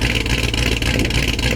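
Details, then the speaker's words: V8 running sick: lumpy idle with uneven, stumbling beat and dropped pulses every few firings; missing at idle, owner suspects bad (brown) fuel, cause not confirmed. "I'm saying the cam sounds really good. It's because it's missing right now."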